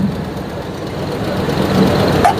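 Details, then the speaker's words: 1996 Ford F250 light-duty V8, after replacing the incorrect ignition control module behind code P1351: even steady idle with no skips; the earlier dead miss from cranking is gone, normal idle. "well I don't hear it so far you remember from earlier the moment I started cranking it it just had that dead Mist where it seemed like everything missed I don't hear that they good signs"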